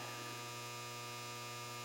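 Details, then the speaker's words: GE Cabrio washer WTW5550X after replacing a damaged control-board capacitor with a 1000uF 10V one; previously hummed, smelled burning, wouldn't start: steady low, even, unchanging electrical hum, normal load auto-sensing before water fills. "i hear it auto sensing which is what it's supposed to do and i'm just going to wait for hopefully the water will come out and it'll start washing"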